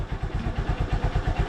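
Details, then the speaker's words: Honda Supremo motorcycle, hard starting cured by turning an adjustment clockwise, kick-started on second kick without choke or throttle after three days unused: steady, even single-cylinder putter about seven beats a second, no misses; normal idle. "Tingan niyo mga kalab Kada sa dalawang beses pa lang na Pag kck natin eh Hindi siya um hindi siya hard starting umaandar siya agad"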